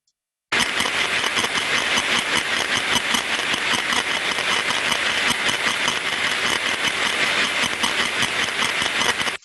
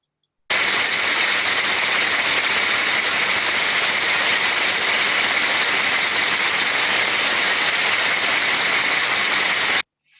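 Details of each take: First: Recently refurbished gearbox heard through an ultrasound probe; constant crunching and scratching as amplitude rises, with no clean rhythm, sounding like increased friction, so lubrication is the first check. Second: Gearbox recorded by ultrasound after cleaning out incorrect oil and refilling with the correct oil type: smooth, uniform hiss with only faint modulation and no clicks or grinding; correct lubrication restored normal running.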